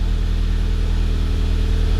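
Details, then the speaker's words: 2011 VW GTI Mk6 after fuel pump replacement and refill with fresh gas, previously misfiring badly on bad gas: deep, steady, smooth idle hum with even rhythm and no stumbles; normal idle. "Ooh, that sounds good. That sounds way better."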